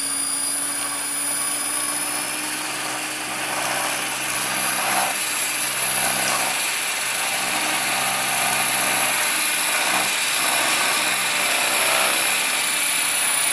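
Steady high whine from the rotor with a pulsing buzz about four times a second during hover; abnormal vibration, source not yet found.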